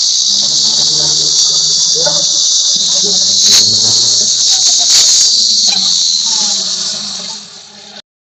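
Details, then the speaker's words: Engine revved hard, heard from the front: a loud, steady, high hiss-whistle sits over the engine. It is a metallic turbo noise that appears on acceleration, caused by a stuck wastegate actuator holding the wastegate shut. "तो उस condition में गाड़ी से engine के side से metallic नॉज स करके एक आवाज आ रहा है तो मैं एक बार रेस करता हूं"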